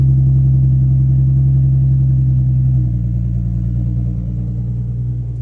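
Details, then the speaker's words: Nissan 350Z after new belts and a lightweight crank pulley kit fitted to fix squeaky belts: steady deep hum with no squeal or chirp at idle; normal idle, belt drive healthy. "everything this running smooth now"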